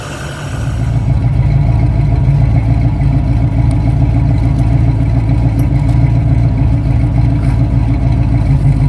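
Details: 1971 Ford Torino, rebuilt 302 V8 with C4 automatic, after idle mixture adjustment: starts right up and settles into a smooth, even burble with no misses or stumbles. It idles clean; the carburetor, a little lean, needed only slight tweaking.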